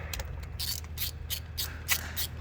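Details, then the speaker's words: Rebuilt Toyota MR2 Turbo 3SGTE: rough, rattly bursts roughly every third of a second over a steady low engine hum from the timing belt area; the reused original timing belt tensioner had fully collapsed. "So we got this motor here, fully rebuilt Hot Boy MR2 with a noise. And I found what the noise was. Sounds like it's coming from the timing converter. If you look down in there, see that's the tensioner right there, and it's fully collapsed."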